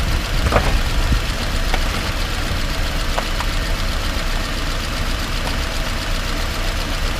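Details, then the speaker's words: 2018 Subaru Outback 2.5i Premium, about 11,800 miles, recorded in the cabin on a potholed country road with keys jangling: a few sharp thuds over the road rumble as the wheels hit bumps. Clunk from the driver's side front wheel. "my keys make a jangling sound just kind of masks the the clunk a little bit but you can still hear it as we drive down this potholed marked country road"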